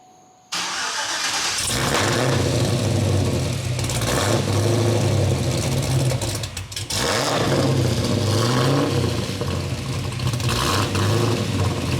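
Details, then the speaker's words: Cadillac CTS-V V8 first start after BTR Stage 3 cam and new valve springs, untuned, heard from the rear: loud lumpy rumble swelling and sagging, nearly dying midway, won't idle; idle surge from untuned cam. "It doesn't idle, obviously, like I said before, it just idle surges."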